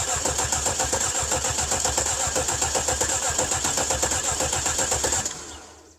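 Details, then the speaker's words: Cadillac 300 HP Northstar V8, first start attempt after a battery was fitted, recorded at the engine: the starter churns it over steadily for five seconds without catching. Crank, no start; the dash showed a theft system problem (key resistance contacts). "all right so it did say theft system problem car may not restart you can see the key has a little contact on either side and those are to check the resistance or the security system"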